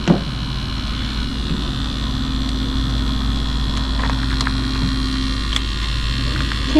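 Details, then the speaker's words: 1975 Chevy Vega that sat for years with no gas tank, fed from a makeshift external tank before a start attempt: steady low electric hum with no surging or stutter. The electric fuel pump is running, with a leak. "You got gas. >> Not pumping. It's pumping cuz it's leaking."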